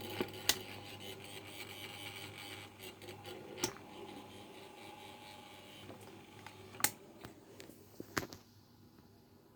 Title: Rattling and buzzing noise my okayama OK1230 stand fan